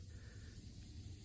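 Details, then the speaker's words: Hyster forklift hydraulic cylinder pressurized with air at 140 psi (normally sees about 1,000 psi) to find a leak: steady high airy hiss, its sound changing at the crack, exposed after burring and hammer tapping, before welding. "All right, so your ears are almost always better tools than your eyes. So if you listen, you can hear the change in sound."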